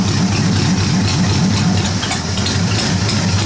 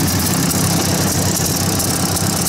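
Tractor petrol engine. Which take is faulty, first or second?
second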